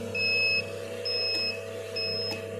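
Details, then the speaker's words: Home-built automatic egg incubator with hatching trays: three half-second high beeps about once a second over a low steady fan hum. The alarm sounds because humidity dropped after the door was opened. "یہ آواز آپ کو آ رہی ہوگی، یہ باہر سے کھولا ہوا نا، میں نمی اس کی کم ہو گئی ہے، اس لیے اس کا الارم بج رہا ہے۔"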